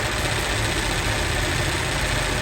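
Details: Toyota Revo idling with AC on, rough gravelly mechanical rattle from inside the AC compressor, worn from running low on oil.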